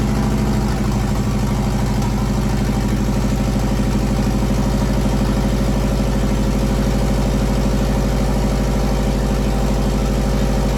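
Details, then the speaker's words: JDM EJ20 turbocharged WRX engine swapped into a kit car, started after fogging oil was sprayed in the bores: steady, even idle with a smooth low drum, no knocks, misses or rattles. "since my third time starting it now and we're gonna one smooth everything's running pretty good engine seems to be running pretty good right now"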